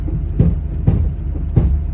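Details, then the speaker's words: Duramax diesel truck's power running boards (steps) cycling in and out on their own from a shorted loose wire: low rumble broken by three dull clunks about half a second apart, on a chilly, windy day. "That's my steps going in and out. It's so weird."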